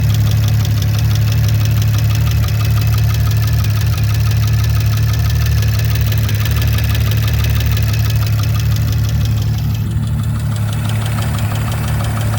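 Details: 2019 Audi RS5 B9 at idle: light, fairly regular ticking about three per second over a steady hum; source unclear.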